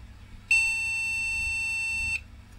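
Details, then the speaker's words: Old MSI retro motherboard with AMD CPU, recapped by its owner, powered up with RAM fitted: a single long steady high beep from the PC speaker signalling no memory detected. "okay so this seems to think it has no rub yeah so that's where the problem is with it"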